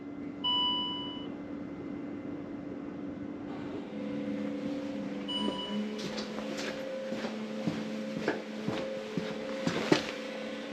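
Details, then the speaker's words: Land Rover Discovery 3/4 2.7L TDV6 diesel (chassis from 7A000001), just after fuel filter replacement, ignition on without starting to prime: short chime then steady low electric hum with light ticking; fuel priming pump running normally. "<b>So with the fuel filter in place I'm just</b> <b>going to prime the system and the</b> <b>internet says just to turn the ignition</b> <b>don't start the car.</b>"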